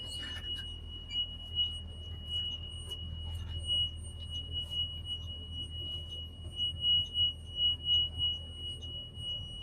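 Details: Old school bus number 12 with air brakes, during pre-trip with master switch, lights and radio on: shrill high beeps about three per second over low diesel idle; alarm for open rear emergency exit.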